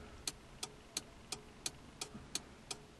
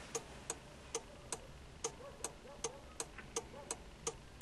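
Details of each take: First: ZAZ-1103 Slavuta, turn-signal relay 495.37 47 after its contacts were cleaned and treated with WD-40 and the relay reinstalled: crisp, evenly spaced ticks at about 87 per minute, with the flasher cycling normally. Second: ZAZ-1103 Slavuta, ignition on, turn signal switched on: the 495.37 47 flasher relay clicks unevenly, then stops and the lamp stays lit. The relay is most likely to blame.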